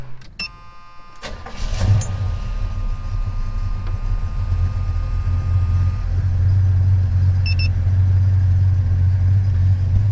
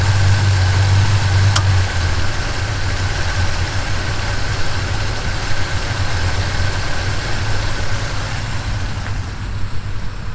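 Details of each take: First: 1977 Chevy C10 V8 with Edelbrock carburetor idling smoothly at about 850–900 rpm with a steady, even rumble and no misses or surges; healthy idle after the intermittent bad idle was fixed. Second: 1977 Chevy C10 V8 with lumpy cam: lumpy idle, then a sharp click as the A/C compressor clutch engages and the idle drops by about 300 rpm; intermittent bad idle caused by A/C load.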